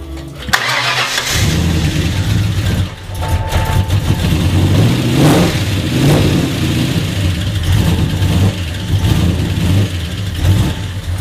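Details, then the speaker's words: Ford AU II LTD 5.0L V8, first start after rebuild with Tickford GT40P heads and T3 cam, stock tune reloaded: catches then surges and sags unevenly toward stalling; driver's side bank very lean, MAF suspected. "So, didn't really want to run. Skinny fuel. Reloaded the stock tune in it just to eliminate the tune."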